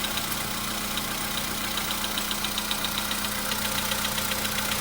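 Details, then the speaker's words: VW Polo Sedan, 101,705 km, cold start, engine not warmed, oil just above mid: brief strange whistle that disappears, then light regular tapping about 2.5 per second over steady hum beginning; cold engine knock at idle. "Свист — это что-то новое. Пока почти не стучит. Вот начинает."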